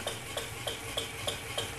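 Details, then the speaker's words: PM Research 6CI horizontal steam engine kit, 1.5 inch bore, about 1/4 hp, run on compressed air without load; crisp, even exhaust ticks about three per second with soft hiss between, steady and smooth; running well. "I've attached an airline to my engine in and we're going to go ahead and fire it up and see what happens so there it is running without a load on"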